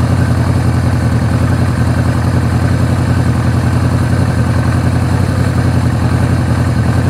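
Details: Suzuki GS750 four-cylinder motorcycle after air filter upgrade, valve adjustment, ignition relay mod, carb vacuum sync and Colortune fuel/air screw adjustment (number three plug had looked lean) idles steadily with even, low burbling exhaust, no knocks or misses.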